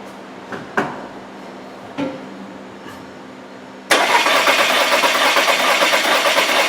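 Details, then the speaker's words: 2015 VW Tiguan 2.0T GDI turbo, flashing check engine light, P0304, new plugs and coil on cylinder 4: clicks then fast, lopsided cranking with weak beat; cylinder 4 dead hole, low compression. "when I first cranked it over it it had compression it you could hear it you heard the change so Cinder 4 is a dead hole we're losing compression in cylinder 4"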